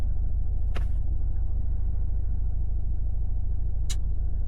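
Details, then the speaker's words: 2019 Audi TT 2.0 TFSI, about 50,000 miles, idling: lumpy idle with low uneven pulse and missing beat, misfire present even when revved; cylinder 1 shut down with fueling disabled, faulty ignition coil proven by scope testing. "the fault is present all the time now. The misfire is there even if you rev it whilst the vehicle is idling."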